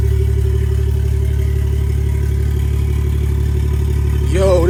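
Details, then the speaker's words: BMW F30 340i B58, exhaust removed during ZF8HP50 transmission swap, open downpipe: deep loud raw unmuffled idle with fast steady pulse, rising briefly with a blip. "this jaw sounds crazy with no exhaust."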